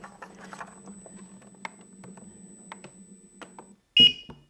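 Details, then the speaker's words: Gotway RS-19 high-speed electric unicycle tipped over to test the tilt cutout: a sharp shrill beep burst sounds as the cutout triggers, then the wheel kicks back in; lean angle cutout alarm. "we're gonna find the angle at which is gonna cut out the lean angle which the wheel is gonna cut out should be roughly around 45ish"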